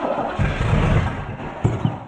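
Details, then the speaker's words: Camaro barn find parked 32 years, points ignition, possibly non-original engine with Turbo 350: cranks, catches briefly, then two sharp thumps as it dies. Backfire on starting; ignition timing judged way out. "Whoa! Okay, I'm going with timings out. Timing is way out. But it started on less gas."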